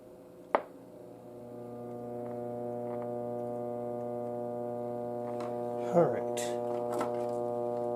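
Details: 1937 Philco console radio, dead before restoration, first power-up: steady deep droning hum with a buzzy edge under a few clicks; abnormal hum, cause not yet traced.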